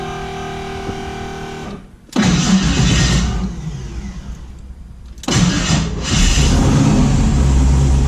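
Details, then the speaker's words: The starter on a 1974 Chevy Nova with a twin-turbo 5.3 LS spins quickly with no click and the engine fires and revs cleanly. This follows rewiring the solenoid trigger with junkyard parts, which fixed its intermittent LS starter click. "all right that's probably the first time since I built this thing that it didn't click at least once so I would say that's the issue and it solved"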